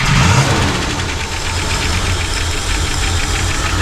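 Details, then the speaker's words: 1960 Buick LeSabre after long hibernation and fuel pump replacement, oil checked, radiator refilled, warming to open thermostat: loose, fast tapping about four per second over rough low idle; tick likely up top, cause not confirmed. "There you go. Trying to get that tick out of there."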